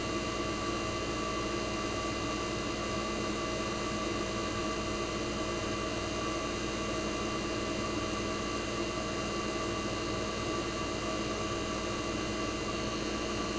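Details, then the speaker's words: 1965 Fedders Weather Wheel air conditioner's 1960s reciprocating compressor running after first cold start of 2023 in a very cold shop: even constant hum with steady whirr, no clatter or cycling; compressor warm, head and suction line ice cold, running normally. "I'm going to let you guys enjoy the sound of a reciprocating compressor from the 1960s."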